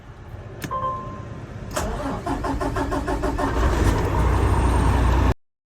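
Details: 2021 Kenworth Cummins diesel that would not crank because a pressure switch was left open and it was left in gear, now fixed: the starter cranks about four beats a second, then it fires quickly into a firm, steady idle.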